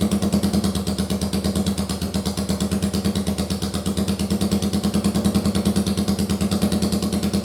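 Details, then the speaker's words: First-gen Yamaha Virago 750 V-twin, run off the bike on a bare-bones harness after rockers and cams were redone following damage from a backwards oil filter: steady, even, lazy idle with no ticking or clatter, smooth and healthy. "so that's all redone and we'll fire it up in a minute so you can see how good it sounds"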